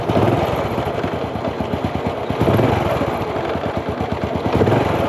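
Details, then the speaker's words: Honda Wave 100 U-box single-cylinder motorcycle that burns oil and lacks power: steady running with a light rattling tick on top from a slightly slack cam chain; tensioner, piston and rings due. "ครับจะมีเสียงโซ่ละลิ้นดังนิดนึงนะครับเสียงโซ่ละลิ้นแล้วก็เสียงพวกยางกลิ้งยางกดครับมันมีอาการนิดนึงนะครับ"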